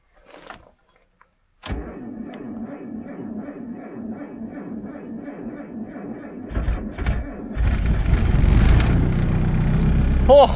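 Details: Mazda MX-5 cold start at about -20°C in Lapland after freezing night: starter cranks evenly about four beats a second for roughly five seconds, then engine fires and catches cleanly.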